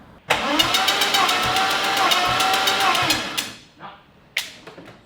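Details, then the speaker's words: Compression test while cranking steadily at about three and a half beats a second with no firing: number five cylinder reads nothing while others read roughly 110–135, so one cylinder has zero compression. "so number five has nothing go again yeah 130 135 that was a little bit lower okay again 110. I'll try this one again but I reckon we've just found a problem yeah"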